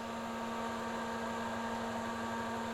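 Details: Ramsond CT520DY welder/plasma cutter combo, case open after repairing the broken amperage adjustment switch and a broken wire: steady mains hum with even fan rush, no crackle or buzzing; running normally.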